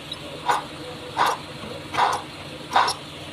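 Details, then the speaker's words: Mazda pickup that squeals on startup: with the accessory belt removed the noise goes away, then pulleys are spun by hand with the engine off. Four short gritty whirring bursts from one loose pulley, a worn pulley bearing needing replacement. "Este es el que está sonando entonces solamente hay que cambiarlo lo mismo se aplica para cualquier otro automóvil si tienen un ruido quiten la banda de accesorios y revisen a ver si no es una polea"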